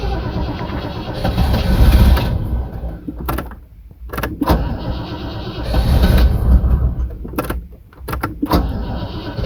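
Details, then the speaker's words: Rover SD1 3500 Vanden Plas V8, first start in about 10 years after fixing the fuel pump with a new gasket and priming it: cranking catches and it fires, surging before settling into a rough but running idle. A normal start. "so let's give er a cranks ooh she does"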